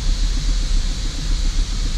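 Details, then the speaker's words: 2005 Holden VZ Commodore Crewman 3.6L rough idle: uneven surging rumble; scan shows low O2 signal bank 1 sensor 1, likely from excess unmetered air; vacuum leak suspected. "weird that is very weird but it could be because we've got a crapload of air"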